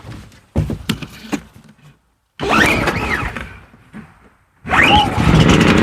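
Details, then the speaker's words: Harbor Freight Predator 5000 generator running on propane after pull start (battery thought to be low): catches after a few pulls, runs rough and surging, sounds like it's choking itself out; plug reading looked rich; cause suspected, not confirmed. "All right. Definitely runs rougher on the propane. Um, and definitely sounds like it's choking itself out."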